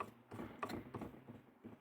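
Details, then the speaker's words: LG RCT689H DVD/VHS recorder (2011, Funai mechanism) bought faulty: uneven light clicks and knocks as the tape mechanism turns; owner almost certain a gear is striking a part. "donc j'ai l'impression que ça tape dans ce truc là donc je voudrais si les biens droits par rapport à l'autre et ça se trouve que le problème c'est juste ce truc là j'en suis presque persuadé en fait"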